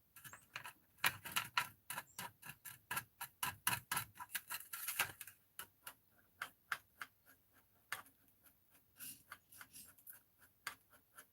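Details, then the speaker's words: Arrma Fireteam RC car differential bearing, spun by hand after only a couple of battery packs: sharp, uneven clicking from a rough, nearly locked bearing fouled with metal chunks that came out of it. "yeah bearing feels like it's junk man listen to that look all the pieces that just came out of this thing"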